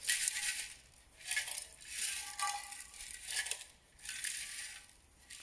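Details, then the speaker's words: Toyota Yaris removed rear silencer (back box) shaken by hand gives bursts of loose metallic rattling: its internals have fallen apart, so it needs replacing along with the centre pipe and centre box. "rattling is the inside of the back silencer that's fallen apart, and you can hear it rattling around. So this will need replacing as well."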